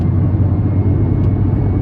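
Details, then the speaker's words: Volkswagen Lupo at full throttle in fifth gear: steady low droning hum, no knocks, present every time the foot goes down; gearbox noise, previous owner suggested oil change might fix it, cause unclear. "That noise is always there, every time I put the foot down."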